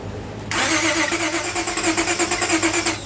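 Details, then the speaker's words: Towed-in car with a crank no-start, new spark plugs fitted, trying to run on its own with fuel treatment and cleaner: starter churns in quick even pulses but the engine never picks up. Crank no-start from water-contaminated fuel. "So it seems like it's running on it's trying to start up on its own fuel source."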